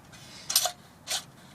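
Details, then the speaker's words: Ford Mustang clutch job with the transmission removed: the throwout bearing, turned by hand, gives three dry scraping rasps instead of spinning freely and quietly. The worn throwout bearing is toast. "Yeah, that's supposed to spin. So throwout bearing is toast on this."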